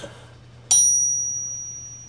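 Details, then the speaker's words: Honda Civic VTi D16Y8 crankshaft, cleaned and oiled during rebuild, ring-tested for cracks: one sharp tap gives a clear high ring fading slowly over more than a second; a cracked crank would ring short, so no crack. "so when there's an inherently even just a hairline crack that ring The Greening sound is not going to be that long it's going to be short"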